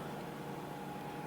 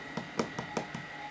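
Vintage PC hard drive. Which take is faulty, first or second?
first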